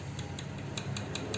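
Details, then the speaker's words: Bajaj RS200 with the engine off, valve cover removed and the rocker rocked by hand: light sharp metallic ticks, about five in a second and a half, indicating tappet noise from excess valve clearance that needs adjustment. "சின்ன sound கேட்கும். இந்த sound வந்து ரன்னிங்கில் அதிகமாக கேட்கும். இதுதான் வந்து valve tappet நாய்ஸ்ன்னு சொல்லுவாங்க."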